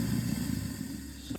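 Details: Kitchen-sink garbage disposal, tested after clearing the clog that stopped the sink and dishwasher draining, runs with a steady low motor hum and no grinding or rattle, then shuts off cleanly; normal.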